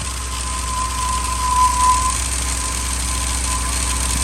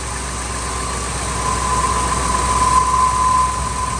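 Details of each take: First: 2000 Ford F250 5.4 2V, cold start in freezing weather after sitting a few days, before cleaning: idle lopes unevenly at about four pulses a second with a shaky beat; rough idle from a dirty idle air control valve and throttle body. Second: 2000 Ford F250, 5.4 2V V8, freezing weather, rough idle on cold start, no trouble codes. After throttle body and IAC cleaning, it idles steady and even with a smooth low rumble and no stumbles, already running better.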